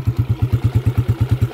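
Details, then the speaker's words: Honda TMX 155 single, just after a full overhaul with all-original parts and valves set loose at 0.08 mm intake and exhaust: a steady, even thump at roughly eight beats a second with no misses or knocks, a smooth, healthy idle. "Yan ang kanyang andar mga kabro."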